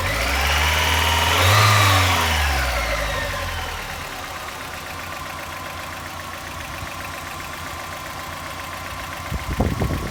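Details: 1990 Mazda Miata: after a quick blip it settles to idle with a light, regular tick about three to four per second; owner suspects lifter tick, not confirmed.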